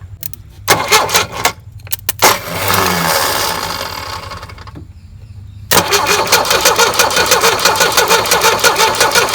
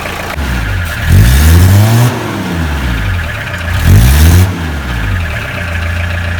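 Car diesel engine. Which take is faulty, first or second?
first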